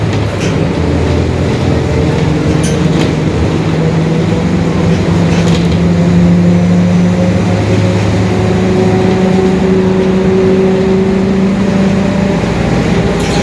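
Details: 2021 Marcopolo Torino S urban bus on Mercedes-Benz OF-1721 Bluetec 5 chassis, extended, under way: low steady growl holding pitch under the diesel drone. Differential growl, typical of a worn rear differential.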